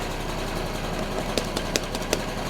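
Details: Piaggio Ciao two-stroke moped being revived, on a lift with no battery, just restarted: fast even buzz holding steady at idle with a few light ticks; runs good and smooth. Normal idle.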